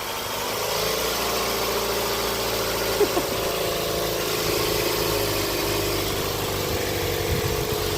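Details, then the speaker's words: 2011 Ford Fusion 2.5L just after reinstalling its thrown serpentine belt: the engine settles to idle with a thin high squeal and a few clicks. The squeak and smoke are put down to grease on the belt; the battery light went off, so it is charging. "There's the belt squeak. There it is. Woo! She's smoking. Woo. You know, it's just grease on the belt."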